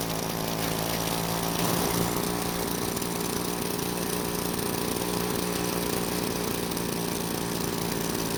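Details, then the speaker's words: Green Machine two-stroke trimmer: steady high-pitched buzz never settling to slow idle, trimmer head keeps spinning; idle set too high, confirmed once turned down. "Now, the head doesn't want to stop spinning either, but I think it's because the idle is set too high, so I'll turn it down and see if it stops spinning."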